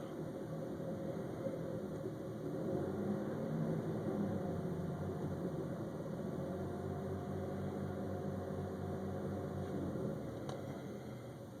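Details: 2000 Mitsubishi Montero Sport Limited petrol engine idling with a low wavering hum, rpm not steady; owner guesses fuel injectors, recent throttle cleaning and alternator, running 98 premium; unconfirmed rough idle.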